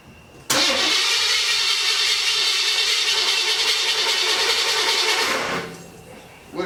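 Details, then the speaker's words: 1981 Pontiac Trans Am 403 V8, first run on open headers with a leaking water pump gasket and choke needing opening: catches quickly and roars loud and raw for about five seconds, then dies down; starts and runs normally. "so at least we know it runs"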